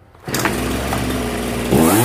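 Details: Old Zenoah 3800 chainsaw after diaphragm replacement and carburetor adjustment for a no-start: catches and holds a steady buzzing run, then pitch climbs smoothly under throttle; healthy running after repair.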